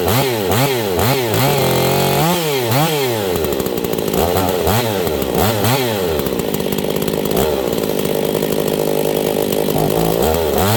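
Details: Husqvarna 268 chainsaw, warmed up, while the low-speed jet is being adjusted: the revs surge and sag and the engine nearly dies falling back. A lean bog from the low jet setting.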